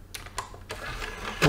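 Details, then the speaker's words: Xbox 360 E disc drive: light clicks as the tray draws in, then immediately a louder whirr as it drives back out, with or without a disc, every time; tray reopens immediately after closing. "tray button it's coming out immediately no matter what"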